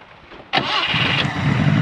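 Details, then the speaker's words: 1980 Subaru Brat, likely Weber carburetor, fuel poured into bowl as fuel pump questionable: quiet cranking then abrupt catch into rough building fast idle within two seconds; still sounds pretty good, throttle cable sketchy. "Dude, it still sounds pretty good. It smells like a dirt bike."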